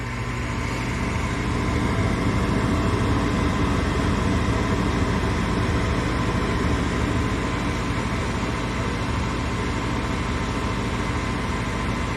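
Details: Furnace after blower motor replacement, inducer and igniter cycled normally: even, steady airy rush with a soft low hum and no rattle or growl, holding constant; new blower running smooth and healthy.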